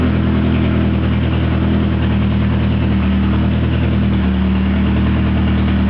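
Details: Lancia Delta just started from its instrument panel via battery isolator and start button: steady, even low hum at idle with no knocks or misses. The engine settles smoothly, a normal idle.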